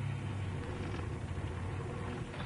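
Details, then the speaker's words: Car after clutch replacement (new clutch kit, pressure plate, throwout bearing, master and slave cylinders, machined flywheel): low uneven shudder when pulling away in reverse, forward smooth; owner unsure, suspects engine mounts or normal. "you can hear that noise I don't know if you can that's forward that's perfectly smooth but backwards put the window down bit trying to make it do it if you can hear that Prett evident there"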